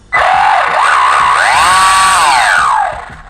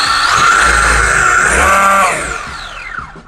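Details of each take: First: WLtoys 124008 RC car: loud high-pitched whine rising with motor speed, like a gear rubbing plastic; metal shavings found, remeshing didn't help, owner has jumped it a lot; drive shaft to be replaced. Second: WLtoys 124008 RC car after replacing spur gear and drive shaft: motor spins up to a clean rising tone and coasts down with no grinding or whine, way better than before.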